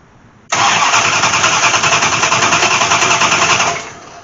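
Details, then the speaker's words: Dodge Aspen with MSD ignition and rat-nest wiring, sitting nearly six years, driveshaft disconnected, no fuel but starting fluid poured in: starter churns evenly about three seconds, never fires; cranks but no start, no spark. "oh no hurry she's a no fire so I know we don't have fuel but I did attempt to put some juice down in there"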